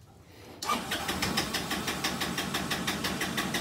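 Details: Kymco scooter with gravity-fed carburetor, fuel pump bypassed: small engine catches and runs unevenly, stumbling and surging instead of settling, still running poorly so fuel pump likely not bad; poor running, likely a carburetor issue.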